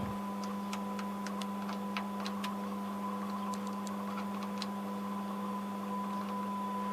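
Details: Home-built 6V6 single-ended Class A stereo valve amp powered from a variac without mains earth, mic near speaker: steady low hum with thin high tone and faint ticks; output hum (later fixed with transformer shield) and unresolved inter-channel crosstalk, suspected grounding issue.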